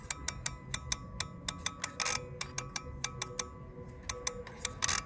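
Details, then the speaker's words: 2006 Dodge Stratus 2.4 no-crank, already fitted with new PCM and starter: with key on and security light out, a relay chatters with sharp, even clicks about five per second; cause still unknown, being tested with a test light. "so it's this one clicking right here this one let me get my test light out see what it's clicking this guy"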